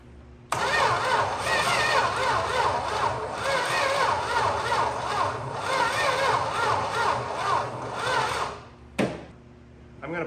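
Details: 1961 Plymouth Valiant six-cylinder, off the road about 30 years, cranked with a remote trigger across the starter: steady cranking at about three to four turns a second for eight seconds, never catches; spark not yet checked.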